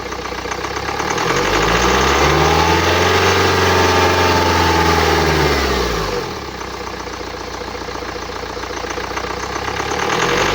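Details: 2009 BMW X1 xDrive, 2.0 L N47D20D diesel (130 kW/177 PS), 224,000 km, starts, revs, then idles with a faint extra whirring over the engine; the distinctive noise indicates turbocharger damage.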